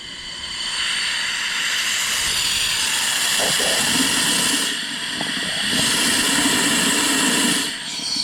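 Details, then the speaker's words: Johnson Controls water source heat pump that locked out and wasn't cooling; water sitting in pan, drain blown out with compressed air: loud steady hiss with gurgles as thick debris clears from clogged condensate drain line, now draining. "there's definitely some stuff in here what the heck was that some thick stuff was in that drain for sure"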